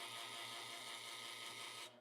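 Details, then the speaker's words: Lelit Bianca espresso machine with flow control at max after side and top panels reassembled: loud, steady buzzing drone with fast pulsing hum; pump noise fades when flow is reduced, cause not found. "okay whenever I turn on so right now my floor contr add Max okay so that's the all the way up turn on the machine you're going to hear noise okay"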